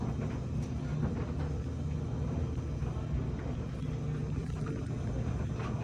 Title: LG dryer making a buzz noise.